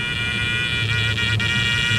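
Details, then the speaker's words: 1969 Dodge Charger electric fuel pump run by a power probe: steady reedy whine with low hum, cavitating despite plenty of fuel, worsening the longer it runs; likely source of bucking, pump replaced. "it's going to start making like a cavitation sound like it's getting towards the end there's no fuel but there is plenty of fuel"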